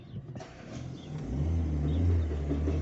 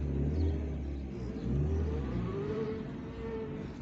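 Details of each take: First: Fiat Linea creeping in reverse: a low engine drone with an uneven rumbling growl from inside the gearbox; on disassembly the reverse gear had three or four broken teeth. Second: Fiat Linea road test in reverse after the gearbox's reverse gear, which had 3–4 broken teeth, was replaced. Steady low engine rumble with only a faint smooth whine and no grinding or clunks; the reverse noise is gone.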